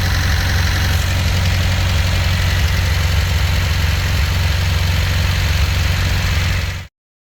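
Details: 1977 MGB 1800 four-cylinder, rebuilt engine after valve lash adjustment (Rule of 9): even idle with a steady low beat and no valve tapping or clatter, running smoothly until shut off; normal idle.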